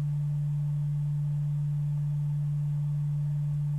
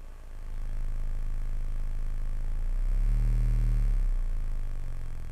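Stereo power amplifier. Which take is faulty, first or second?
second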